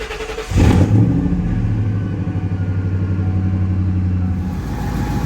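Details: Engine after fitting new SP 459 spark plugs: cranks briefly, fires and holds a steady, even pulsing idle for several seconds; starts and runs normally, owner says it hasn't run this well in years.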